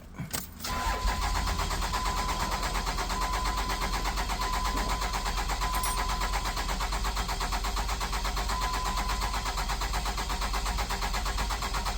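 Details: Cummins diesel truck hard to start cold or hot: over ten seconds of steady cranking without catching, about 20 seconds to start. Injector return flow was very high (about 900 vs zero from the CP3), so the injectors need replacing.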